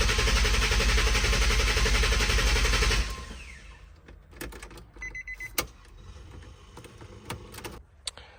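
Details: 2005 Nissan 350Z with VQ35HR swap, 69k miles, abandoned and unfinished; during electrical diagnosis with unlocked ECU and fuel smell, engine suddenly fires while cranking, loud steady pulses then dropping to quiet clicks; unexpected start.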